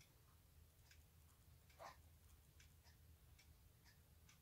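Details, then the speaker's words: Hermle 451-050H floor clock mechanism after the second beat adjustment, error down from 80%: quiet sharp tick-tock with slightly uneven gaps, pendulum swing and impulse still longer on one side, still out of beat. "it sounds a whole lot better than what it did when it's 80 error but still isn't quite far enough the pendulum swing and impulse is still longer on this side than it is the other"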